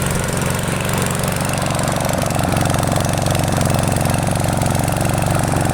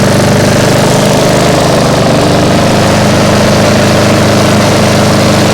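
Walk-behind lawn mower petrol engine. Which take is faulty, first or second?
first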